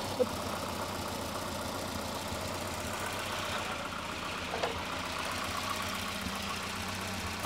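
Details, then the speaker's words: 1988 Volvo 240 DL sedan, abandoned and restarted on first try, cold: uneven idle under a loose, clattering metallic rattle with sharper knocks, possibly a failing heat shield, source not pinned down; an oil leak was also seen below. "nice sounds like we got a heat shield failing over here or part of the engine block just fell off but not quite sure what's going on"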